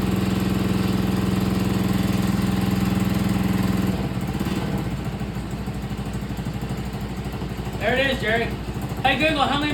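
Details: 49cc mini chopper single-cylinder engine just started during a timed get-it-running attempt. It pops along with an uneven, wavering beat around three per second, running but rough and unsettled.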